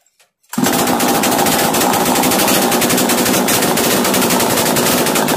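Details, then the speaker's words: Chainsaw started after carburettor screw adjustment: loud fast buzzing held flat out with no load, never settling to idle; racing too high, fixed by turning the top idle screw to slow it. "90 से start होने के बाद बहुत ज्यादा race होता है तो आपको ऊपर में एक स्क्रू दिखेगा उस इसको अगर आप फील करेंगे तो आपका जो एस्कलेटर है वह कम हो जाएगा और मशीन स्लो हो जाएगा"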